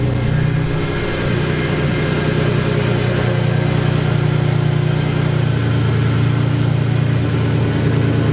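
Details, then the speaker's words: Cammed Infiniti G35 coupe V6 with full bolt-ons, freshly switched to E85, another starter installed; loud, deep lopey idle at cold start with a steady low rumble and no knocks or rattles. Running fine. "and I love that cold start it's crazy loud but it it sounds like it's doing okay so hopefully uh when we get it warmed up I'm gonna see if I can take it out for a little spin around the block"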